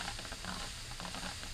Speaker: That is definitely confirmation um on why we saw that coolant test, the chemical test positive because there is definitely a connection somewhere between the combustion chamber and the coolant channel.